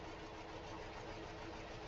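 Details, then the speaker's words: 2013 Hyundai Elantra four-cylinder with coil-on-plug ignition and a flashing check engine light idles roughly with an uneven, stumbling beat, like a struggling lawnmower. It is definitely misfiring, and the engine visibly vibrates. "this thing sounds like a lawnmower that's having a bad day. And if I get this thing open, and it's definitely misfiring."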